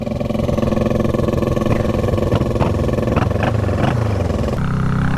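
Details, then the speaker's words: Salvage-yard twin-cylinder motorcycle being revived, firing only on one cylinder, just after a spark plug change: lumpy, uneven beat at about three to four pulses a second with stumbles and surges; misfire, worse after the plug change. "I was just running this thing about falling asleep cuz it's only falling on fireing a one cylinder"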